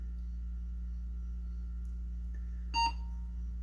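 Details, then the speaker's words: Older shop PC test bench: AMD Athlon 64 X2 5000+ with one ~1GB DDR2 stick, CPU fan spinning, then one short beep at power-on and BIOS reports system fan failure (possibly case fan) and device configuration change. "and we got a beep and whoa error system fail system fan fail device configuration change"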